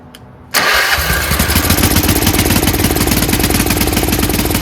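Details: Troy-Bilt 30-inch rear engine rider after carburetor rebuild with cleaned main jet: catches after brief crank on choke, settles into steady even idle, slightly low idle speed; the clogged main jet was the cause, not the gas.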